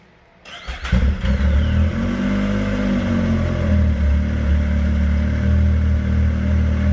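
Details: Used turbo Sidewinder snowmobile after fixing wrongly reconnected stock boost parts, ECU flashed, in snow, boosting 16 psi: quiet, then snaps up to a strong steady deep drone without stumbling or surging; normal turbo acceleration.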